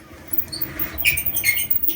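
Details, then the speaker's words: Amana clothes dryer, drum turned slowly by hand: irregular high chirpy squeaks and a drum that is hard to turn; rollers or bearings are suspected of failing or seizing, possibly the tensioner pulley, not confirmed. "you can hear that squeaking noise when i try and turn the drum there by hand so we've got some rollers or bearings or something that are gone or seizing up"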